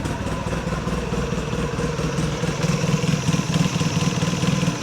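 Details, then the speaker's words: 2006 Polaris Sportsman 800 EFI idling around 1150 RPM, shifted into reverse: uneven rattling, rolling grind from the clutch, machine jolts between gears; owner suspects the one-way clutch bearing is going out. "Hear that roller noise? It sounds like the one-way bearing is going out on this thing."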